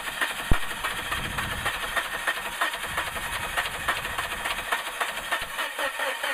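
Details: 2000 Suzuki Grand Vitara that won't start after a water pump change: starter spins the engine in an even rhythm but it never fires or catches; crank-no-start, cause unknown.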